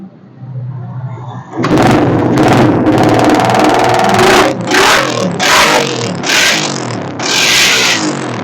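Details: Suzuki Satria FU running without a battery after an aftermarket regulator-rectifier replacement and an added capacitor fix: repeated clean throttle blips, each rising and falling smoothly without the earlier stumbling or cutting out.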